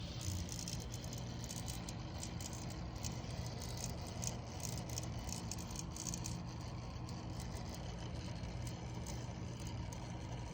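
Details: Bewinner water cooling pump running with a steady low hum and a continuous gritty rattling grind.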